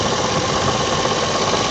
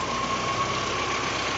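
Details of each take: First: VAZ 2109 (Lada) alternator, new, under 10,000 km: no knock at the lowest idle, but a steady hum and fast regular knocking (about 200 a minute) start once revs rise a little, easing as revs drop; loose alternator mounting bolt. Owner first suspected bearings. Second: VAZ 2109 with new alternator that droned/knocked above idle, caused by its loose lower mounting bolt vibrating; after retensioning and tightening: steady even idle with faint high whine, no rumble or rattle, running fine.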